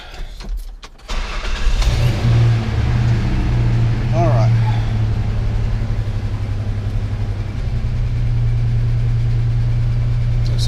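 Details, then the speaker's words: 1998 Ford Ranger with a swapped 3.0 engine, scan tool connected: a steady fast idle of about 1200 rpm against 800 commanded, with the idle air solenoid already at zero. Excess air passes the closed throttle; no vacuum leaks were found, and changing the PCV valve and computer did nothing. "so RPM is at 1200 and the desired as a nine well dropping on down to 8 800 now as desired we're still way above 1200 and something so we're we're 500 RPM above what the the uh computer is commanding"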